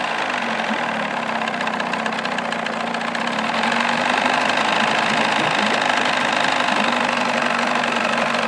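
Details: 1979 Evinrude 35hp two-stroke outboard idling without its cover in a filled water tank while warming up, 83.6–96.4 dB: a loud, high-pitched buzzing idle that grows slightly louder as it warms, staying even throughout; healthy.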